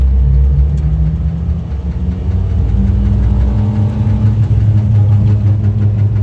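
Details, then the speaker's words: Suzuki Jimny JB23W on 32-inch unbalanced knobby tires with a 2-inch DIY lift at about 50 km/h: deep road rumble with light, quick tapping at the right rear, tire rubbing the bumper. "it sounds like my uh driver's rear which is the right rear in this vehicle has some rubbing going on have to investigate that"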